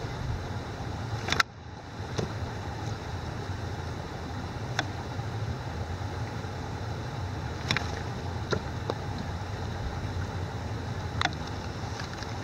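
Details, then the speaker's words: Water hammer on 100 ft PVC and steel pipelines: quick valve closure with air vents off gives sharp isolated bangs every few seconds over a steady hiss of flowing water. "So, we are going to do a water hammer demonstration where I'm going to do a quick close of the valve with the air vents off on a 100 ft PVC and steel pipelines."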